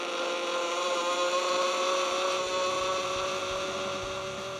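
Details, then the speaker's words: Zipforce Distance e-bike friction-drive kit (250 W motor, 16 Ah battery) on knobby off-road tires, noisier than slick tires: steady high whine with a buzzy hum from the roller, pitch holding steady; loud but normal. "Utiliser le Zipforce avec des pneus de ville ou slick réduit beaucoup le bruit. Cependant, avec des pneus de cross ou tout terrain, le niveau de bruit est nettement plus élevé, comme vous pouvez"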